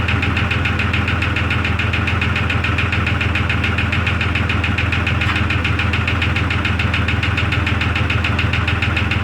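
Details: 2002 Jeep Grand Cherokee Laredo restarted in the cold after adding oil: steady idle with a regular tapping knock, about three per second. Source not pinned down; owner listens with a stick against the engine and may tear it down.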